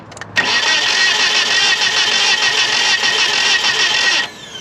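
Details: 1997 Nissan Altima, crank no start, battery strong, timing chain tight, heavy sludge: about four seconds of even cranking that never fires; engine cranks but won't start, ended up needing new distributor, spark plugs and wires.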